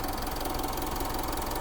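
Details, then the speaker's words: Diesel Mitsubishi Montero at idle after repair, noise now gone; steady idle with even soft ticking and no heavy knock; radiator not working, owner warned not to put off fixing it; normal idle. "Wala nang ingay. Pero wag mong pagtagalin. Hindi gumagana radiator mo. At least wala na ingay."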